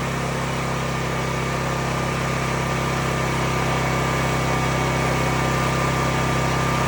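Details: CAT RP8000E 8000 W generator, about five years old, which started but shut down immediately, after the fix. Steady, even engine drone with a constant beat and no hunting or surging; now holds a clean, stable run.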